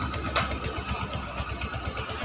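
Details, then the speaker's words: Suzuki Gixxer 150 single idling after cylinder head replacement (stripped rocker arm bolt thread): quick even putter, about eight pulses a second, no misses or knocks, only a slight exhaust leak at the exhaust stud; normal idle. "So, mga ganitong motor kasi tahimik na rin. Tahimik naman to eh."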